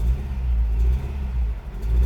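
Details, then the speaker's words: 1998 Honda CR-V, about 272,000 miles, head gasket, water pump and alternator previously replaced, check engine light blinking: deep, lumpy idle that surges and sags as if running on three cylinders, wanting to die; owner unsure, fears spun bearing; misfire. "sounds like it's only like firing on the three piston or it sounds like it's missing on one of them and then it wants to die"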